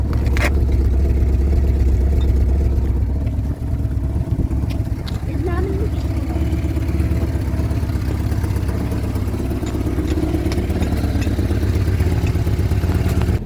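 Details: 1975 Vauxhall Viva HC, last on the road in 1991, first start after a rebuild with the carburettors worked on. Steady, low, even rumble at a smooth fast idle while warming up, no knocks or misses.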